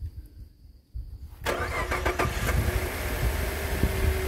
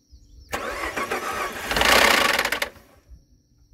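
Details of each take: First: 2013 Ford F-150 3.5 EcoBoost FX4 starting with water temporarily in the cooling system: starter whirs, the engine catches and settles to a steady, even idle; it ran rough for a minute or two, then well. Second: 2013 Ford F-150 3.5 EcoBoost FX4 being rebuilt, first start: engine catches and fires into a rough, rattly burst for about two seconds then shuts off; abnormal start-up noise, owner suspects a cam phaser.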